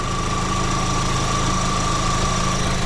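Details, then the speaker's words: 2004 VW Golf 2.0 idling after a new A/C belt install, compressor kicked on and both fans running; steady even idle with a constant high whistle from fans and compressor, no chirp or squeal from the belt: normal A/C compressor and belt. "you don't hear anything coming from the belt"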